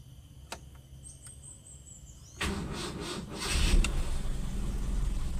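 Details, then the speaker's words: Toyota Kijang Super with hard-starting complaint: short crank catches almost immediately and settles into steady idle; starts promptly, better than the usual two or three starter attempts with heavy cranking. "Coba kita ulang lagi. Cekegeng, nah gitu. Ini masih ya lumayan lah, daripada kita starter 2 kali 3 kali kan masih mending gitu."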